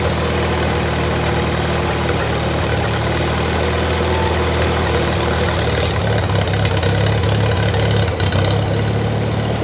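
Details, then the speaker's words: 1953 Farmall Cub, no muffler, just started after sitting two years: low throbbing idle wavering and stumbling near end as if briefly fuel-starved; owner thinks it just needs to warm up and run a while. "struggling for gas a little bit let me uh see"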